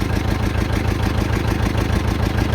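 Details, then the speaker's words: 1959 John Deere 830 Industrial diesel tractor started with its gasoline pony motor after oil change and leak fixes: deep, steady, even thrum with no knocks or misses; normal diesel running; pony clutch still needs adjustment. "but I was happy with how well my pony started and ran so it's just kind of nice to hear the big engine running I don't think there's a better sound in the world than that"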